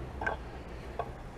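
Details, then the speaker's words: Chrysler Cordoba with 360 V8, revival after long sitting: two sharp single clicks about three-quarters of a second apart as the starter solenoid clicks but the engine won't crank; starter possibly grounded to body rather than engine. "appears the uh starter solenoid's clicking. She's just not wanting to uh kick over, unfortunately."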